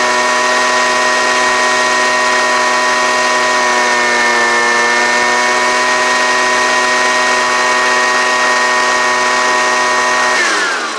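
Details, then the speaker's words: Homelite UT09250 small two-stroke after carburetor work holds a steady, even buzz for ten seconds with no misses or surging, then winds down cleanly; runs healthy. "so that sounds pretty good right there see if it'll crank up again"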